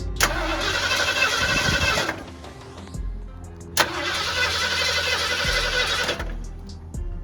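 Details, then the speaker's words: 1979 Ford Bronco under restoration, on a jump-starter boost with weak batteries and alternator not yet fitted: two cranking bursts of about two seconds, starter chugging about three beats a second, never catching; cranks but won't start. "so it cranks but i don't know maybe we'll just try it again"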